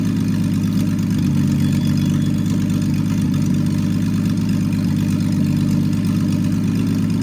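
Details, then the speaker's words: Freshly rebuilt Triumph TR6 six, head shaved 60 thou (about 8.4–8.5:1 compression), warmed up with chokes off after distributor moved slightly: steady, even low burble with no misses, knocks or ticks; normal warm idle. "I played a little bit, I moved a little bit the distributor too, and now it is actually pretty smooth."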